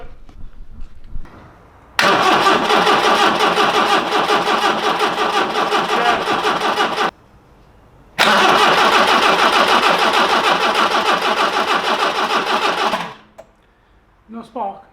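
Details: Long-sitting 1982 barn-find classic car, first start attempt: two runs of steady starter cranking at about three turns a second with no firing or catch; cranks but won't start, no spark.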